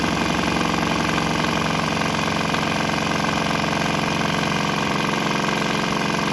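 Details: Swan X 165F Chinese single-cylinder diesel on a shipping crate, vibrating heavily, running on used canola fryer oil, throttle on start setting; steady even thump about three beats a second, no misses or knocks; normal running, didn't stop.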